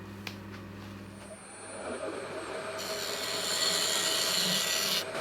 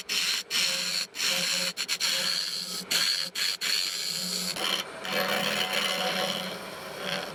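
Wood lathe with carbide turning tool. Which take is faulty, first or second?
second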